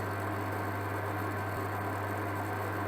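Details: Amzchef dual induction hob with E0 no-heat fault, powered on with a pan of water: steady low electrical hum with faint hiss, even throughout; zone energising and heating the pan normally.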